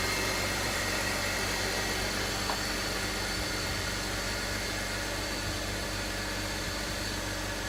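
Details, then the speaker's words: BMW X3 E83 after oil leak repairs: smooth, even idle with steady hum, no knocks, ticks or stumbles; runs and sounds good, everything hooked up. "Should have no more oil leaks now. Runs good, sounds good. Everything's hooked up."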